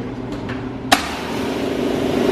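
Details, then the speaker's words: Jenny air compressor newly installed with Prevost air lines, switched on at the wall knife switch and pumping up to operating pressure, mounted on rubber: one sharp clunk at switch-on, then a smooth building hum; quieter on the rubber, runs healthy. "Quieter on the rubber. Yeah. See, I don't think that's loud at all. It's not."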